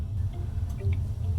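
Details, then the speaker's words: Near-new A.O. Smith gas water heater after gas control valve replacement: low burner roar with irregular drips and small pops every few tenths of a second, water dripping inside onto the burner; cause not yet known. "there's like uh is dripping on the inside and hitting the burner and making a noise so I'm going to find out what the hell that's going on there"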